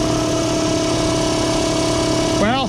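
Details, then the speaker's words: Air compressor with faulty pressure switch bypassed (wires jumped directly to motor) before replacing the switch; steady motor hum with fast even pumping thrum, starts and pumps normally. "as you can tell i can hear it pumping so that tells me that this switch is jumped so let's go ahead and replace it"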